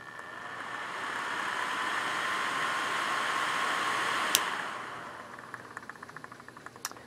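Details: Vintage 1988 Comair Rotron Biscuit 12-volt blower, model BD12A3, bench-run from an old lamp transformer: airy rushing hiss rises, holds evenly, then winds down; runs normally, slightly noisy.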